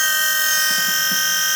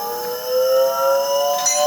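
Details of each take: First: Car with a Volvo engine swap, electric-driven hydraulic power steering pump replacing the original mechanical pump, now powered by a charged battery from a Mini after the weak battery was found to be the problem: steady even whir, nice and quiet, steering works, then powers down. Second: Volvo-engined car, newly fitted cheap eBay electric-driven hydraulic power steering pump replacing the mechanical pump, test on small battery: aeroplane-like whine slowly climbing in pitch; pump works but battery can't sustain it, owner hopes battery not pump.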